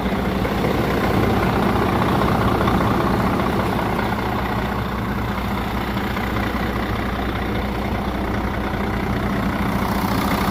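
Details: Cheap used semi truck with a Mercedes-Benz engine, bought as a possible spare or second truck; fires right up, deep steady diesel idle with even low rumble, no knocks or misses, AC cold; normal healthy idle.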